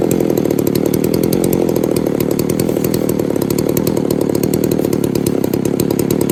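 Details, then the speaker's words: Poulan 3800 two-stroke chainsaw, after fixing a loose carburetor mount and air leak, restarted after cooling: idles with a busy, blubbery buzz that never cleans out; loading up at idle, possibly another air leak or tuning, not confirmed. "I don't I know if you can hear that but it sounds like she's just loading up just sitting there idling"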